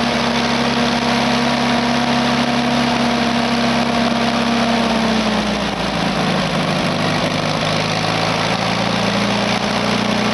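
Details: Small petrol engine that would not run because it was out of gas, now refuelled: idling steadily with an even low hum and a slight settle in pitch midway; running normally.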